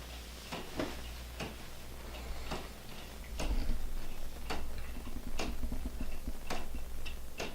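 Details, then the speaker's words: Handmade Brazilian cherry wooden geared clock ticking softly and evenly about once a second, with no skips; the escapement runs normally and keeps good time. "and you hear it ticking it keeps good time"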